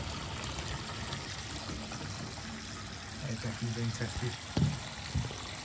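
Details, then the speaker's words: Bath waste draining 3/4-full bath after waste repair with no access, dry with no leaks; steady rush of water with deeper gurgles and glugs near the end, draining freely with no blockage. "Plenty of water going down that now. Yeah, looks good."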